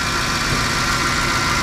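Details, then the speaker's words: 2010 Ford F-150 5.4 L V8, first start after replacing failed alternator and serpentine belt: even steady idle with faint constant accessory whine, no squeal or chirp, belt intact; normal idle. "So we're gonna get this cranked up now, and hopefully I didn't destroy the truck. We'll see. Fingers crossed. So that's promising. Belt seems to be intact."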